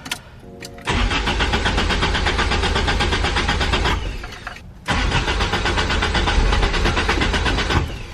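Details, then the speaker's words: Toyota 86 (hachiroku) that needed five or six start attempts, new warranty starter, first start after fuel work: starter cranks about three seconds, pauses, cranks again without catching, fourth crank before it fires; hard start, cause unconfirmed. "so I think this is our fourth crank so far and we finally got a little something hopefully fifth is a charm"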